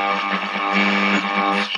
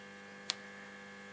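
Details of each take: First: 1947 STC Bantam C141 valve radio after reseating a loose valve and replacing filter caps, power brought up slowly to about 200 V: station audio comes through clean, steady and undistorted; set receiving properly. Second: 1947 STC Bantam C141 valve radio powered up at about 150 V B+, rectifier working: constant low mains buzz with one brief crackle and no stations received; fault traced to a valve not fully seated in its socket.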